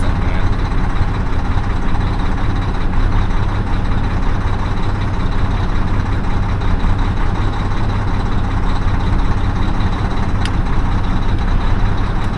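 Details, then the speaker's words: Mack semi diesel with repeatedly replaced injectors, after priming the fuel system in about 88°F heat: deep idle with an uneven, lumpy beat, not firing cleanly; misfire, cause suspected (possibly damaged injector cups) not confirmed. "It still sounds like it's not hitting right."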